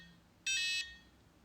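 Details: FlySky FS-i6 RC transmitter at power-on: shrill beep of about a third of a second, repeating roughly once a second. This is the switch warning. Sticks are correct and the switches look off, but broken Switch B and Switch C trigger it.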